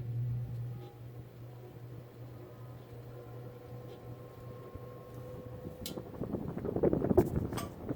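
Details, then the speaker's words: Vintage late-70s/early-80s Hunter (Robbins & Myers) Original 52" ceiling fan, 2.5 A model 22274, oil-bath pancake motor, started on high: steady low hum then some rattles; normal startup sound; earlier cyclic buzz cured by tightening globe and faceplate. "so it does have a slight cyclic buzz but that went away when I tighten the globe a little bit"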